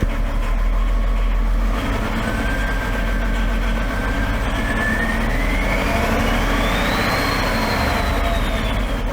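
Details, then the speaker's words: 2011 BMW X5 diesel, M57 engine, over 450,000 km, cylinder 6 outside range on smoothness test: idle with light quick clapping tick over low rumble; normal vacuum pump noise, nothing to worry about. "now for this that clapping or slopping noise you're hearing is just the vacuum pump so you don't need to worry about it"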